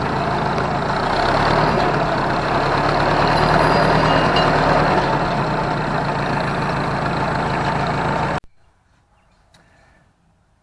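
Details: Ford 641 Workmaster tractor after refitting the original fan and pulley on the alternator: steady, even idle about four beats a second, no rubbing or scraping; shuts off cleanly, still charging with good oil pressure.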